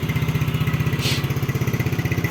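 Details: 2009 Yamaha Mio scooter idling: a quick, even putter with steady firing and no knocks or rattles; the engine and CVT are described as smooth, a healthy normal idle.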